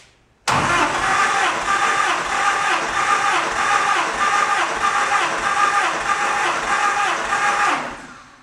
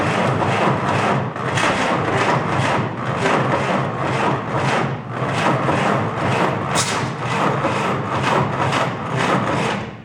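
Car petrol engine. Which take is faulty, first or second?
second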